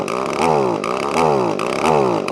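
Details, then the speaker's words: Echo ES2400 leaf blower, carburetor mixture screw turned in to restrict fuel: engine surges and sags about every three quarters of a second, hunting and never holding revs; running lean. "I'm going to screw this this one in which will make it run like an absolute Pig and that's restricting fuel"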